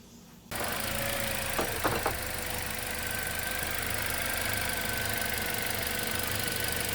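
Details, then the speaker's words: 2011 Toyota Corolla S idling in gear, A/C worsening it: engine shakes here and there with sharp kicks, an intermittent cylinder 2 misfire without check engine light; cured by replacing the faulty intermittent ignition coil pack and spark plug. "you can hear it kind of shaking a little bit here and there"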